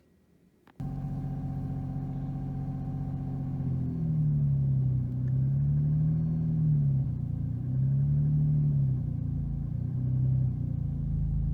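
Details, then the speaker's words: 2002 Jeep Liberty 3.7L at cold start, before Seafoam treatment; idle swings up and down every second or so and goes into fast idle near 2,000 rpm; suspected idle air control valve, previously cleaned, problem returned. "I'm gonna start it up it's cold start it up show you that the idle fluctuates and then also goes into fast idle almost 2,000 rpm"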